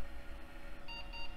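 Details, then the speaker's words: Y2K-era yard-sale AGP computer, power supply tested live on the motherboard with the 12 V and 5 V rails metered: a short high beep over steady fan hum at power-on. The board passed its self-test and posted. "and sounds like it posted so let's go ahead and get the monitor connected and see what it's doing"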